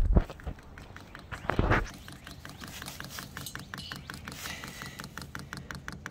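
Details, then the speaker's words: VEVOR 8kW 12V all-in-one diesel air heater on an old battery, fuel pump priming at first start after setup: after handling knocks, sharp evenly spaced clicks that quicken as the pump primes and diesel reaches the filter; normal priming ticks. "you hit the up button to turn it on and that starts to pump and you're going to leave that running until it primes and it's going to get faster as it goes"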